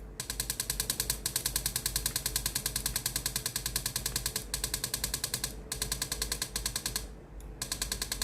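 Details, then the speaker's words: Philips GC7620 steam iron, heated and ready: water pump clatters at about three beats a second but no steam comes out; pump replaced as the fix. "pompe à eau qui fonctionne. Mais il n'y a pas de vapeur qui sort de la partie devant le poêle ."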